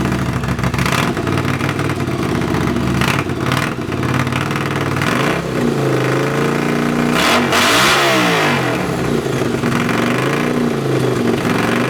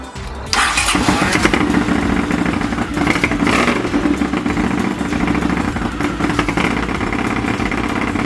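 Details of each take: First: Honda CX500 café racer twin, after swapping a dirty fuel filter and colortuning the carbs (pilot screw about 2.5 turns out, slight flat spot right off idle): loud, repeated revs fall back to a steady idle. Runs and idles normally. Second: Honda CX500 café racer twin during carb colortuning: it fires up into a lumpy, uneven idle with skipped firings. Cylinder two doesn't ignite as often as it should, an intermittent misfire; the owner notes a known CX500 issue of cylinder two kicking in late.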